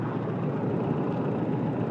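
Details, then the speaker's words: 1995 Toyota truck 22RE EFI engine during timing check: steady, even idle with smooth low hum and no misses; base timing confirmed about 5 degrees with check wires jumped, idle rising to about 12 degrees once unhooked. "Now I'll unhook the wires, hear the idle go up."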